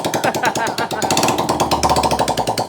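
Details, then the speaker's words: Motorcycle that would not run for a year despite new harness, ECU and injectors; after correcting the MAP sensor and fixing loose compression the injector sprays fuel. It starts: quick, even popping beat without misses or stumbles; normal running. "After 1 year mga katropa na pagtitiis ni boss sa kanyang motor, ayan, buhay na yung kanyang motor."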